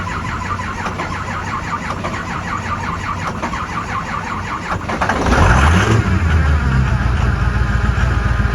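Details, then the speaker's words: 2005 Ford F-250 6.0L diesel no-start in cold winter, after key-cycling glow plugs and boosting the low battery: slow, even cranking at about three and a half turns a second, catches near five seconds and settles into a steady diesel idle; normal start. "you guys hear that it fired right up I love it [ __ ] love it woo"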